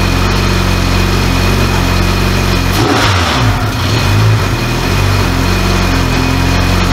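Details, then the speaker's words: Rebuilt K24 engine in an AWD Honda Civic, first start after the rebuild, oil primed: strong clean revving settling into a smooth, even idle with no knocks or rattles, sounding healthy. "so first start went off really nice once we got everything working uh it seems good"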